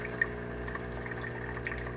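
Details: Breville Barista Pro espresso machine pulling a dummy shot after water tank refilled: steady low pump hum with water trickling through; normal pump operation.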